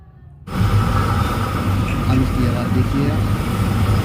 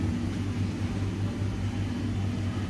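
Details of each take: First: IFB Maxidry 550 dryer after repair of very loud running noise, loose rear screw tightened; smooth, even low hum with no knocks, rattles or scraping, drum turns quietly, no noise left. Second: IFB Maxidry 550 very loud when running: a low droning rumble with an uneven throbbing beat from a loose blower fan blade striking its housing, with a rough bearing.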